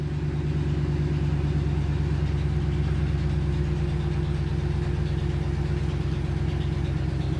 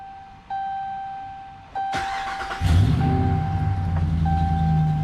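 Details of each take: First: 2009 Hemi Ram 1500 V8, almost 200,000 miles, owner has a prolonged-start issue: steady low idle right after a long crank, even with no misses or knocks; injector pulses read roughly even, so injectors seem fine. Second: 2009 Ram 1500 Hemi V8, about 186,299 miles, after replacing cam and crank sensors for an intermittent prolonged-start issue: short crank under a second, then a clean catch into a steady, even idle; normal start, though the fault comes and goes.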